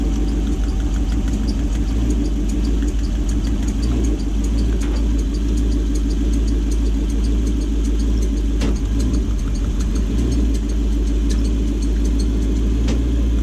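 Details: Gen 1 non-VVTi Lexus 1UZ-FE V8 (EGR deleted, Link Atom ECU) in a jetboat, after diagnosis and fix of running on six cylinders: steady, even low idle with no stumble, firing cleanly on all cylinders.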